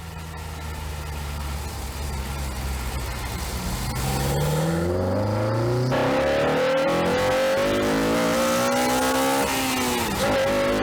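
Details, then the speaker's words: Honda Civic Type R FN2 (Mk8) revving from idle with a home-made cold air intake (RamAir hoses, cone filter, stock MAF tube, OEM resonator still in place): clean rising intake roar dropping back evenly, healthy strong revving. "right i think it's safe to say that sounds frigging awesome so i'm really chuffed with that"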